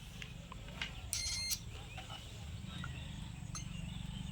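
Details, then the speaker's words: Bison LED par light power supply after a 5408 4-amp replacement rectifier diode is fitted: the meter gives a single short beep that stops at once as the capacitor charges, the same in both directions; the diode is not shorted. "বন্ধুরা দেখুন একবার beep হচ্ছে মানে capacitor charge হচ্ছে আর সঙ্গে সঙ্গে বন্ধ হয়ে যাচ্ছে উল্টো দিকেও তাই"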